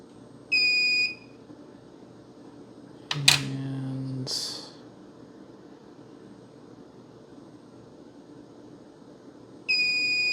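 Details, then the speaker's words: 1978 Milton Bradley Electronic Simon (TMS1000 CPU), long non-working: two clean, steady high continuity beeps a few seconds apart, with light clatter between, on the switch joints after fresh solder. All joints making good contact. "okay so all of those are making good contact"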